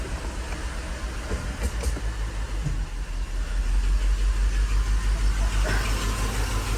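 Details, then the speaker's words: 1985 Mercedes 500SEC idling in drive with parking brake set, warm, known misfire at idle: low uneven rumble with a pulse about three times a second from the passenger side; knocking at idle in drive. "all right so the car is in drive and you hear this noise it's coming from the passenger side"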